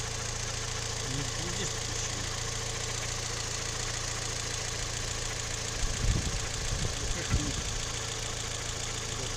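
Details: Toyota 3ZR-FAE engine with CVT, warm idle only: faint uneven tapping with louder clacks, knock quickens when brake pedal is pressed; cause not pinned down.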